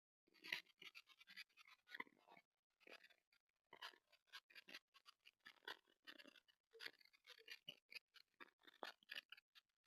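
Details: TP-Link Tapo C225 indoor camera recording a silent room: irregular dry crackles and scratchy pops in short bursts, no machine running; faulty microphone crackle.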